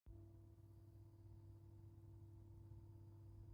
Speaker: all fans are off all you can hear is the pump noise my phone camera doesn't pick it up super well but in person it's even more extreme